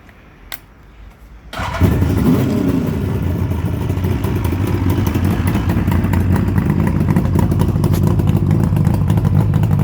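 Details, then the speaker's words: Suzuki GT750 B model two-stroke after full restoration, only 11 miles ridden and very tight: it starts and settles into a crisp, even idle, with clean blips where revs drop quickly; normal running. "as you can hear very very healthy now I've ridden it a total of 11 miles up to now so the engine's very very very tight you can hear how quickly the revs come down"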